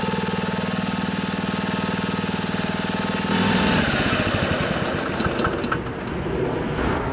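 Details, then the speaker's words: Honda HR215 lawnmower that surged at low and high speed, after unclogging the carburetor slow (pilot) jet: even single-cylinder idle, then a clean run to speed without hunting; normal idle and steady running. "it looks like that fixed it I knew there was a problem with the slow speed system because when I tried to run it at low rpms it was surging so that's where I started and it looks like that solved the problem"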